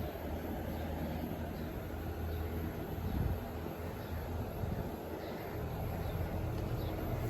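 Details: New ACiQ 3-ton Extreme+ side-discharge heat pump outdoor unit, replacing an old R22 Goodman system, first run after the charge is released: only a faint even hum with soft fan rush and no rattles or buzzing; whisper quiet and healthy.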